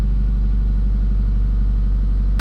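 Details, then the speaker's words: Mitsubishi CK5, cold start with temperature gauge at minimum after idle system repair with original stepper motor: starts easily, steady, even low rumble, raised cold idle held smooth with no misses, healthy; idle later drops to about 900 rpm. "เดี๋ยวมาลองสตาร์ทขณะตอนเครื่องเย็นนะครับตอนนี้อุณหภูมิอยู่ล่างสุดนะครับยังไม่ได้สตาร์ทเลยตาร์ติดง่ายเครื่องเดินนุ่มนะครับรอบก็ชดเชยขึ้นมาให้ดีนะ"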